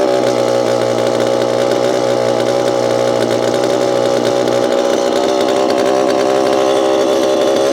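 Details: Repaired Homelite Super EZ chainsaw, boxed about two years after transit damage, on its first test run after reassembly. The two-stroke screams at steady high revs, clean and even with no misfire or stumble; throttle response is instantaneous: normal chainsaw running.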